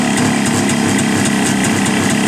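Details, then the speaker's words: Jawa two-stroke motorcycle that stood since last summer, cold start running on the choke (enricher): fast, even buzz with a steady crackle and a faint hiss, no misses; healthy cold running. "Эта Ява стояла с того лета, как и это. Вот так она работает на обогатителе."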